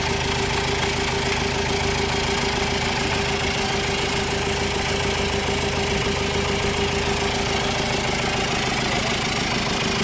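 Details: 2014 Chevrolet Tavera diesel, first start after engine overhaul: steady, even idle with a smooth regular beat and no knocks or misses; engine sounds healthy.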